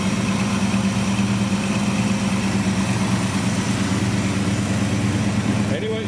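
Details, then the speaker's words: 1973 Chevrolet El Camino SS 454, idling just after starting right up with the AC clutch engaged: deep, even burble at a steady idle with no knocks or misses; engine sounds great. "Engine sounds great."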